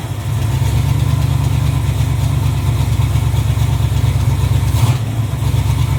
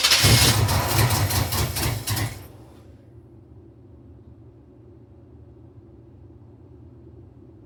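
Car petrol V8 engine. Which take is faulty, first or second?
second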